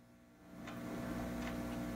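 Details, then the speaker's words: 1950s Telefunken Concertino 7 radio on shortwave: a steady low hum with scratching sits under the hiss and rises with the volume; failing filter capacitors. "I'll turn up the volume and you could hear a hum there's a noticeable hung and and a scratching"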